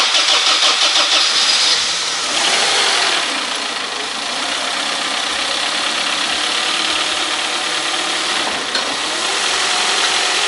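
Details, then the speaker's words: 1998 Honda CR-V 2.0 petrol with 466,000 km, which had a deep bottom-end knock at start-up, started apparently after engine work with antifreeze refilled: it catches and settles into an even, smooth run with no knocking; normal. "У нас стука немає. Чудово."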